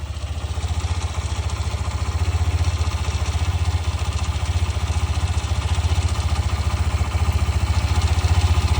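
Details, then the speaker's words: New 2026 Hero Xtreme 125R Dual ABS, about a week old, idling in eco mode; quick, fairly even light clatter about four a second like a loose nut; owner suspects tappet or timing chain noise. "एक किर किर किर किर किर किर किर किर किर किर किर किर किर ऐसा कुछ आपका आवाज़ इसके अंदर सुनाई देगा, जैसे कोई नट हिला हुआ है, कोई नट ढीला हो उसका हिलने का साउंड आ रहा है, ऐसा इसके अंदर आपको साउंड सुनाई देगा।"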